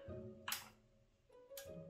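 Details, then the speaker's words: Yamaha RX-V440 RDS home-theater amp (circa 2004) that won't stay on; sharp relay click at power-on, display lights, brief hum, then another click as it cuts out into protection, power-supply fault. "Donc il y a un affichage. Mais l'ampli se coupe direct en fait, il se met en sécurité, donc il n'arrive pas à rester allumé."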